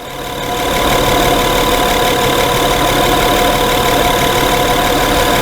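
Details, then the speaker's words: 2011 Honda Pilot idling after repair of intermittent hot surging and stalling, run over 3 hours: the engine settles within a second into an even, steady idle with no hunting, surging or stumbling. "They've run this vehicle for over 3 hours. It is not surging, nor is it stalling. The shop is convinced it's fixed."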